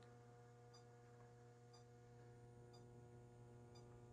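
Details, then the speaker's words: Mercury vapor yard light and HPS lamps warming up: steady low mains buzz with a faint click about once a second as the ballast gets noisy; normal ballast hum during warm-up. "The Mercury Vapor Yard Light is actually really noisy. So, we'll watch these fixtures warm up here. High pressure sodium is already glowing. Very nice deep orange. You can see my traffic light in the background just cycling through. Yep. You can hear the ballast starting to get noisy."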